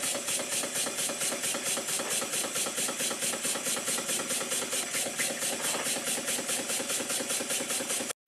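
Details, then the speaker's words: Rebuilt circa-1896 model steam engine run fast under finger load on the flywheel: quick even exhaust puffs about five a second, each with a light tap; too-thin, flexing crank pin starting to knock. "starting to knock a bit now. The crank pin's getting worse."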